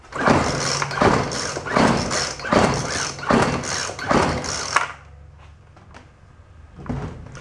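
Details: Craftsman two-stroke string trimmer, roadside find, run switch on: four or five rough recoil pulls about a second apart with no catch or firing; owner suspects a fuel problem and checks spark next.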